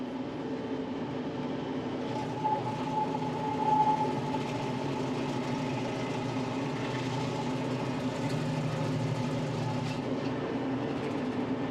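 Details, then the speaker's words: Tractor running a Baumalight 3P38 three-point stump grinder: an even, steady engine drone holds through the cut with no dips, bogging or stalling, unlike with the smaller grinder used before; normal operation under load. "you could really hear it bogging down the engine but I never had had any of those problems today running this grinder"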